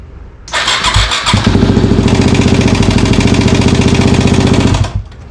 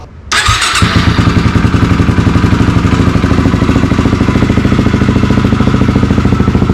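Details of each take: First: Yamaha WR250 motorbike, engine "before" recording: cranks, catches and settles into a quick, slightly uneven lumpy thumping run; rough running, cause unknown. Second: Yamaha WR250 fully reassembled after repair, after-repair start: starter catches, single fires at once and settles into a steady even thump about three beats a second, no knocks; normal start and idle.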